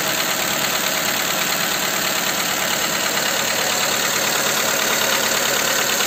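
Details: Skoda Fabia 2 with a 1.4 engine at idle after the camshaft cover with camshafts was replaced: a sharp, fairly regular tick-knock about three times a second persists; the cause is still unknown.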